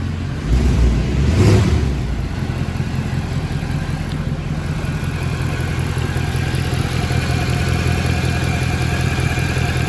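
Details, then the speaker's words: Mercedes C63 AMG W204 M156 V8, sat nearly four weeks, engine management light on, no smoke; after a blip settles to idle with steady puffing chuff under the rumble, exhaust manifold leak. "the definitely blowing yeah you can hear it got you again be mounted the exhaust manifold blowing or runs yeah no smoke definitely no smoke coming from the back is there"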